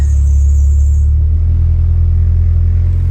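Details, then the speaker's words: Turbo B18 Honda Civic 4-door sleeper with custom intercooler and exhaust; deep steady low idle rumble with even pulses, no stumble, tick or knock, purring like a kitten; exhaust doesn't sound too bad; healthy running. "PS like a kitten so the exhaust doesn't sound too bad but I already started it and I reved it"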